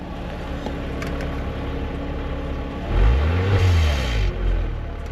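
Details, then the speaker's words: 2002 Porsche Boxster, mic by the exhaust: deep even idle burble, then one quick blip that climbs and settles smoothly; owners hear nothing wrong; normal exhaust note. "So, you can hear it a little bit. I can't hear anything wrong with it."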